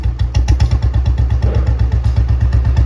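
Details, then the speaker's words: Restored 2009 Royal Enfield Bullet 350 single, after reassembly with rocker tapping adjusted earlier: deep even thump about three beats a second, no tapping or rattle; normal healthy idle. "ना बढ़िया sound आ रहा है ना बढ़िया sound तो sound इसका बिल्कुल बढ़िया और इंजन भी इसका बिल्कुल साउंडलेस है बे फालतू की कोई भी आवाज नहीं है"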